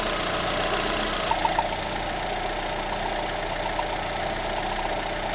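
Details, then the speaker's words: Lada Granta 126 engine just after full rebuild (bored block, new bearings, 82.5 pistons, new timing kit and valves), quiet idle with thin irregular scraping rasp; belt tensioner roller rubbing the crank pulley, gone after loosening the alternator belt. "Сейчас мы немножко ослабим ремешок генератора. Так. О, скрежет ушел. Получается, натяжной ролик задевал шкив коленвала."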